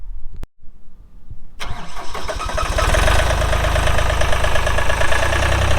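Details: 2007 Ditch Witch RT40 trencher, 42 HP Deutz diesel (pre-emissions), 1,530 hours: starter cranks briefly, diesel catches cleanly and settles into a steady, even idle with no knocks; healthy start.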